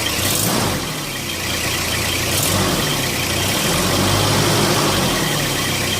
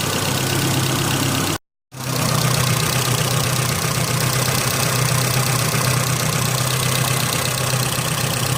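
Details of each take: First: Car engine after a mass airflow sensor cleaning: idle wavers and dips in about three uneven pulses a second, a lumpy stumble; rough idle, suspected throttle body, unconfirmed. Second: Car engine after a mass airflow sensor cleaning caused idle problems, now with degreaser sprayed into the intake: a steady, smooth hum with no stumbles or surging apart from one brief cut; idles cleanly.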